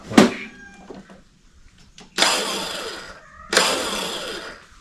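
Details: Toro Personal Pace 22" electric-start mower, starter drive cleaned of mowing dirt, bench tested: two short bursts of smooth, even whirring that spin up and coast down freely. The starter turns without dragging.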